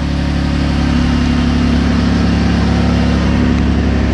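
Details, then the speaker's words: Saturn Aura 3.6L V6 after an oil-pan-off repair for rod knock, running on a roughly half-dead battery: smooth, even low idle with a steady hum. The knock it had before is gone and the engine runs healthy. "i don't hear a knock this time it's actually running rather well especially considering that the battery is about half dead"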